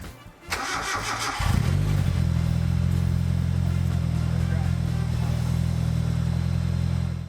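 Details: Mazda NA Miata after replacing its bad starter with a new one: a short crank with no grinding, then the engine catches within a second and settles into a steady, even idle. The new starter and the start are healthy.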